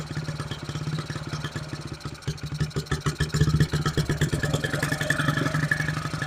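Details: 1974 Honda XR75 small single, idle jet changed from 38 to 35, fuel screw at 3/4 turn out: fast, slightly uneven idle that won't drop to slow tick-over; idling high even when idled down, cause not found.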